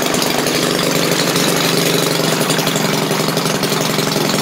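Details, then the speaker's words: Maytag washing machine single-cylinder engine restarted, popping steadily but slowly at about four beats a second; owner thinks carburetor needs adjusting. "I guess I need to adjust the carb a little bit let me run this a little bit on the slow side there"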